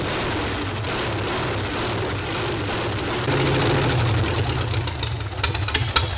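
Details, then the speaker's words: Volkswagen engine in a revived sand rail buggy. It runs loud, uneven and lumpy, stumbling on throttle blips, because the firing order is wrong, so one side of the motor is not running; a carburetor jet is also loose. "firing order is wrong on this thing. That side of the motor is not running right now"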